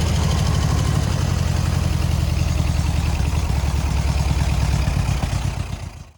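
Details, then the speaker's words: Air-cooled VW 1600 dual-port flat-four in a sand rail, idling after reassembly with the exhaust leak hopefully fixed: deep, steady, even burble with no ticking or smoke, purring cleanly. "no smoke ban no tap oh man she purred crank right up"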